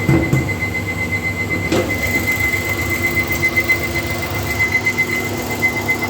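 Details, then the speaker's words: 2013 Nissan Micra Active, 49,700 km, idling warm: thin, steady high-pitched whine over the engine, unchanging; radiator fan motor noise, usually appearing once the engine has heated up. "so there you can hear the noise is already started again so let's go see how the noise is this usually happens when the engine is heated up so"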